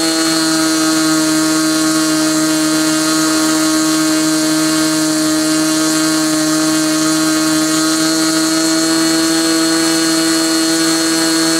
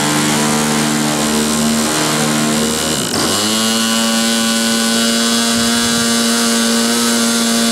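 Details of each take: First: Glow engine on SIG Kadet LT-40 during break-in, restrained on ground, needle valve at about 1⅓ turns, possibly slightly lean at idle: high steady buzz, even pitch, no surging or sag; normal running. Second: Glow engine on SIG Kadet LT-40 during first break-in run on restraint, primed and started: high buzz sags briefly then holds a steady note, rough and burbly underneath; needle set obviously too rich, restarted.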